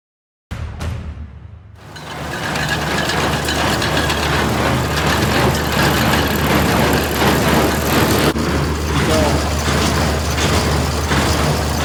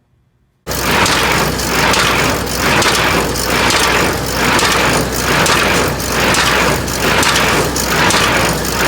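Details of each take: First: New Holland 326 square baler plunger, tested with old junk hay after new hay dog stops were installed and a broken spring replaced: a steady chug of about four beats a second over tractor hum, with no banging against the hay dogs. Normal running. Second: New Holland 326 square baler running without hay dog stops fitted: loud rattling clatter swelling about once a second with each plunger stroke as hay dogs hammer their mounts.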